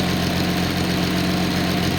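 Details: Nissan 280ZX L28 engine on a test stand, idling with about 20 inHg vacuum: an even, rock-steady low drone with no hunting or misfire after the mixture is leaned slightly and then returned, with the narrowband O2 sensor reading about 0.45 V.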